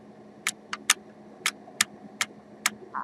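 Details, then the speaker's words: DS18 SLC-X1150.2 car amplifier on bench: sharp irregular clacks over a quiet hum; gently applying product onto a suspect component stops the popping, pointing to heat-sensitive part. "alors je me suis rendu compte par que si je faisais doucement et que je et que je je mettais le produit sur lui ça empêchait le claquement"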